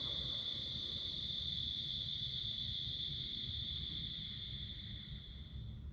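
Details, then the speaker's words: Built turbocharged engine after shutdown, now on 5W-20 oil instead of 20W-50: thin high turbo whistle under a low rumble slowly ramps down over six seconds to a gradual stop, rather than the abrupt stop on thicker oil; normal spool-down. "the spool down seemed like it was a little bit more um the stop was a little bit more subtle than the previous oil it would kind of just like shh and then stop uh this one kind of seemed like you could hear it slowly ramp down and come to a gradual stop rather than such an abrupt stop"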